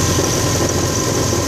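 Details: Subaru WRX at idle, transmission area, noise began after drifting in snow: steady gritty grinding with hiss on top; loose main flywheel bolts snapped the bearing set screws, lodging debris between flywheel and rear crank surface.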